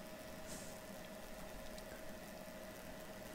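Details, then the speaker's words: EcoFlow Delta II power station charging from wall power, drawing under 600 W, with the load plugged in: quiet steady whir of the cooling fan, constant faint tone with no pitch change; normal fan running. "okay so now the fan come on and it's starting to charge"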